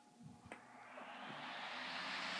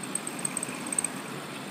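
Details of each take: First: Sunbeam 5-speed stand fan run on high for the first time: spins up over about three seconds to a smooth, even rush of air with low motor hum and no rattle; normal operation. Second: Stand fan running: thin, very high chirping squeal in irregular bursts over a quiet motor whir; owner suspects lack of lubrication, possibly with rubbing damage after long use. Fan motor squeal.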